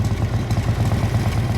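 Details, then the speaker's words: 1957 Harley-Davidson FLH Panhead tank shift with sidecar, factory race-ported heads and race cam, low original miles, original paint: deep, loping potato-potato V-twin idle, even and steady; a healthy, beautiful-running motor. "So, I'll get in here and let you hear this beautiful motor. Yes, it is. Just gorgeous."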